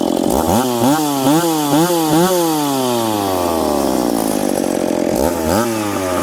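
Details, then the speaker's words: McCulloch Pro Mac 850 chainsaw with an expansion pipe, cutting two-year-seasoned hard oak at 10,300 rpm in the cut. High-revving snarl sags slightly and recovers through the cut, then drops to idle, clean and strong. Normal cutting under load. "that cut there uh 10-3 so this thing's pulling 10-3 in the cut that's fast for an old saw"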